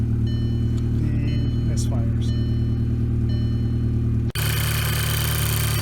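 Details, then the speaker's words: 2007 VW Jetta 2.0 turbo, previously throwing misfire codes, idling steady and smooth with no stumble or knock after new coil packs, spark plugs and high-pressure fuel pump cam follower; check engine light not yet reset. "all right and that sounds much better than it did before so we have that going for us all right so sounds like it's running much better"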